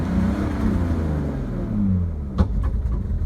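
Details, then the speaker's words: 2003 BMW 530i under throttle with scanner connected showing misfires on all cylinders: engine bogs, stumbles and pops as fuel pressure drops and can't keep up with load; diagnosed as a failing fuel pump. "see the fuel pressure they're dropping down barely able to keep up with load so kind of diagnosis says a fuel pump issue"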